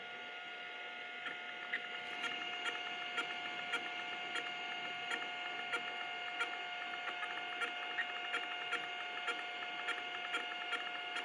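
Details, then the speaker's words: Hard disk of an 8088 computer; thin steady whine with sharp ticks about every half second, then it stops; the drive never spins up, platters seized. "Et après il s'arrête. Et non, il démarre pas."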